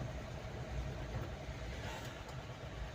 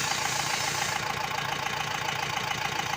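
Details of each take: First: Mahindra Bolero diesel after fixing low pickup, misfiring, late starting and knocking by checking and servicing Delphi injectors 28535488, warning light now off: steady even low rumble while driving, no knocking; runs smoothly and quietly. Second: Mahindra Bolero pickup diesel, low pickup, misfiring, late starting, Delphi injector 28535488: rough idle with steady knock about three and a half times a second over harsh clatter; engine not quiet, faulty injector knocking.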